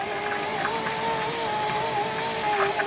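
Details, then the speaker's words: 2005 Chrysler Town and Country 3.8L driver's front window after new regulator and motor: steady motor whine holding pitch as glass creeps up slowly; slow window travel, silicone in tracks suggested, going down now much quieter. "going up a little slow we might put a little silicone in the tracks"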